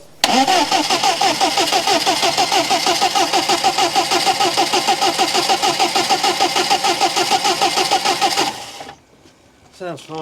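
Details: 1997 Rover 200 vi after new head gasket, following an unusual noise: even rhythmic churning about three beats a second for eight seconds, engine turns over and starts without trouble.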